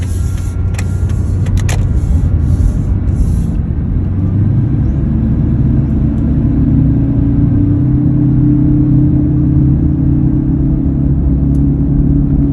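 A steady low drone sits under the road rumble while driving, holding an even pitch; a hum from somewhere in the driveline, cause unknown.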